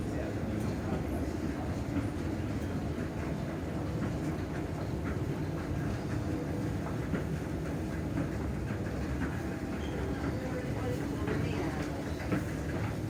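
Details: Old, slow escalator in Penzance running: repeating light knock and clack over a steady mechanical rumble; source of the knocking unknown.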